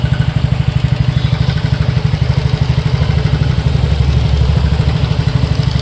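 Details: TVS NTorq 125 BS6 scooter at 7,399 km, idling with a steady light ticking clatter about three per second over a low hum; caused by a slightly loose starter one-way clutch and a loose tappet, and it went quiet after tappet setting and one-way clutch repair.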